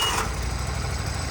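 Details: Walker walk-behind mower, 23 hp Kohler engine, after a crank-no-start from no spark was traced to wiring harness faults and bad connections to the coil: runs with an even, steady low thrum, no misses or knocks; healthy.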